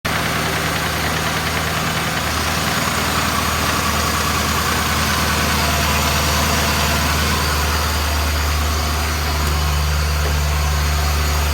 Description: BMW S62B50 vanos or timing chain noise, probably both. Upper plastic chain guide partly destroyed.